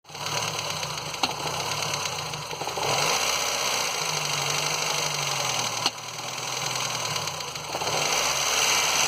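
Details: Ford Fiesta Endura engine at idle: a rough, uneven clatter over a hissy top end, an abnormal noise whose cause is unknown.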